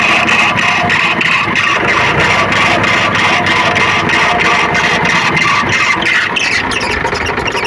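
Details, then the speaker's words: Tractor diesel idle with sharp chirps about three a second; confirmed loose fan belt tension slipping on its pulleys, fixed by setting belt tension (12 to 20 mm deflection). "और हमने जो ये आवाज को अपने हिसाब से ठीक किया है और एक्सपीरियंस किया है वो हम कंफर्म थे कि इसका फैन वेल का तनाव लूज होने के कारण से ही इस तरह का प्रॉब्लम इसमें साउंड आ रहा है"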